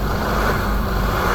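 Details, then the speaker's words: 1984 Land Rover 110 County Station Wagon: knocking traced to a failed number 7 injector, now replaced; injectors resealed, new manifolds fitted. Steady, even diesel drone with no knock or misfire. Normal running after repair. "as you can hear now, it's a lot healthier after changing that injector."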